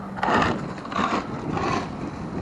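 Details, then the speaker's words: Traxxas Rustler 2WD RC on 2S: rough grinding, clicking bursts about every half second under throttle; transmission gears stripped and the rear end locking, so the transmission will be upgraded. "You all heard that grinding, clicking sound. I wanted you guys to hear that."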